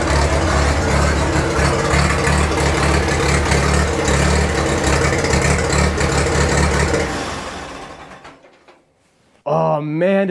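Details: 1943 Case SC tractor, revived after years of sitting: old engine thumping at idle with slightly uneven beat, then shutting down as fuel is shut off at the sediment bowl; runs rough, owner suspects fuel mixture rather than a miss, unconfirmed.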